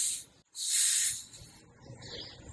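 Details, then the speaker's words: 2011 Honda Civic A/C recharge with R-134a, engine off: can valve opened, then the charging hose connector is briefly opened to purge air. Two short, sharp gas hisses with nothing mechanical underneath; normal purge, nothing wrong. "Now we need to briefly purge air from the charging hose. Open connector briefly and then close it."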